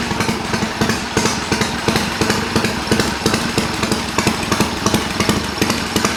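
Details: Triumph bobber build, cold start after several hours off, ridden a couple hundred miles, carb needle drop and head bolt retorque planned: steady loping idle around three even pulses a second, no knock or miss; healthy idle.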